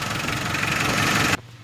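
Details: 4D56 diesel at operating temperature, steady even idle around 680–690 rpm with smooth rapid clatter, no misses or surging, after fuel enrichment screw adjustment on the injection pump, before locking the lock nut; sounds settled and healthy.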